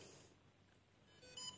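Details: Short high electronic beep in a quiet room as the iSteady X smartphone gimbal is powered on with the phone mounted; a normal startup tone, after which the gimbal activates and stabilizes.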